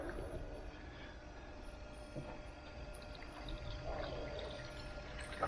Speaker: and you can hear it here the bubbles coming through and i'll do that a few times just to get the air through it